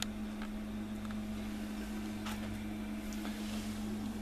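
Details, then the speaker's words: Worcester Greenstar i combi boiler during Nest thermostat install test: thermostat demand started the circulating pump but gas not yet fired; steady even low hum, no burner roar; pump running normally. "I'm just feeling the pump yes the pump is running so the demand has started the pump running but the gas hasn't fired yet"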